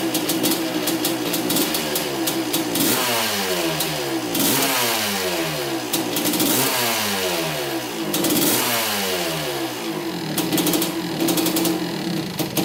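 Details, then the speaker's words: 1985 Honda CR250 two-stroke after carb needle clip moved up to third position: crisp ring-ding idle snapping cleanly up through repeated blips and falling back evenly; running pretty good. "running pretty good all right now that's ran for a while"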